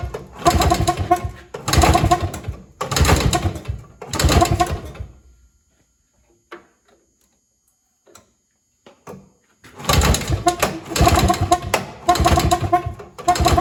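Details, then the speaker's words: Evinrude Bobcat 25hp two-stroke snowmobile sitting 20+ years: fires in short revving bursts about a second apart, dies and catches again, running only on bottle-fed fuel; owner suspects the carburetor isn't drawing fuel, which bypasses back to the tank. "It is draining back to fuel, but that also could be because the carburetor is not doing its job."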